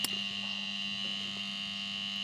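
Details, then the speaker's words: Sharp two-door refrigerator compressor, jumpered directly with clamp ammeter reading 4.5 A: steady hum with high buzz, no motor run-up, won't start; seized, locked rotor compressor. "Dia langsung hidup 4,5 ya. Tidak mau start juga."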